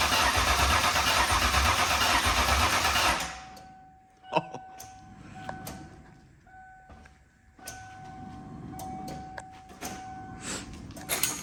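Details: Freshly built Ford Mustang 5.0 V8 with new BBK headers cranks evenly for about three seconds, near three beats a second, then stops without firing. Fuel is present but no spark: cranks but won't start.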